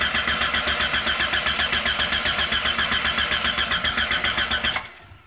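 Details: 1996 Jeep Grand Cherokee Laredo, 4.0 L straight-six gasoline, intermittent crank-no-start; steady, even starter cranking at about four pulses a second with no firing at all before it stops; cranks but won't start.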